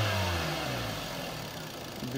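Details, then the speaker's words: 2011 Hyundai Sonata VI with 2.0 L 16V G4KD engine, 88,722 km, compression 12.5 in all four cylinders, held at high revs then easing back: even tone with no knocks or misses; runs evenly and sounds healthy. "работает ровно автомобилю 88 722"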